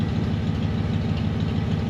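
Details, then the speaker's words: Ford 302 V8 Econoline van warming up after replacing bent #5 intake pushrod (suspected stuck valve); computer in open loop, not yet learned, oil burning off manifold. Steady, low, even idle pulse, no dropped beats or clatter; all cylinders firing smoothly. "so it's running appears to be running on eight but we're not clattering uh i'll let it warm up here"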